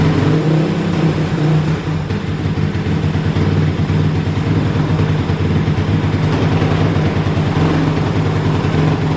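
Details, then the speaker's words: Kawasaki KLX450R with FCR carburetor, warmed up: busy, fast idle holding high and steady; owner believes it runs very lean, heating up quickly, before adjusting fuel screw and idle. "so right so it's uh definitely running very lean that's why the idle kind of is jacked up"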